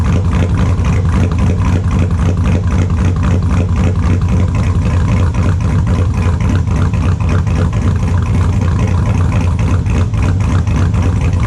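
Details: 2002 Chevrolet Silverado with a built LS V8, super cold start after sitting since Friday: extremely loud, deep, steady idle with a slight lumpy cam rhythm, even with no knocks or misses; normal cold-start idle.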